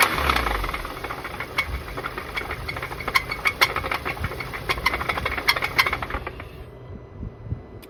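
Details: VW Golf GTI Mk7 Performance Pack, CXCB engine, revved from idle to 3000 rpm, back to idle, then to 4000 rpm: sharp metallic rod knock following revs; suspected to have run without oil after plastic oil pan broke.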